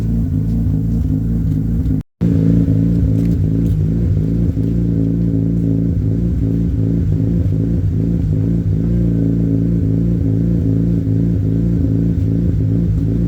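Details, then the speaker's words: Mazda RX-8 rotary on Versa Tune ECU, cold start warming up (about 72°): steady lumpy rotary idle with occasional irregular exhaust pops because the battery was disconnected and short-term fuel trims are relearning; not yet warm. "is you'll hear a bit of a pop cuz it's actually cuz I've disconnected the battery um so with a popping it has to relearn itself it's fuel uh short-term fuel trims"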